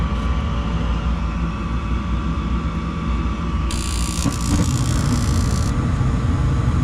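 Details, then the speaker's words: Gas furnace with ECM blower switched by a 240 V coil relay sending 24 V: steady airflow rumble with faint constant hum, no rattles; flame crossed quickly, blower and burners normal. "Flame went all the way across real quick. We'll be able to hear when the blower comes on because of this relay."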